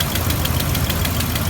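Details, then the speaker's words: Car started after an alternator replacement, with a known exhaust leak still waiting to be fixed: steady idle with a sharp ticking puff about five times a second on top of the rumble. "so anyway I'm gonna start it out and don't worry the exhaust leaks the next thing to get fixed"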